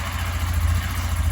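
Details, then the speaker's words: Lander 250 single-cylinder, 29,660 km, after full engine rebuild with new connecting rod and pin (was knocking, marked rod pin, heavy carbon): even, steady thump with clean low beat, no tapping or knocking, good oil pressure; healthy idle. "redondinho certo 100% e tá aí a toa tá na pressão nela ficou muito boa 100%"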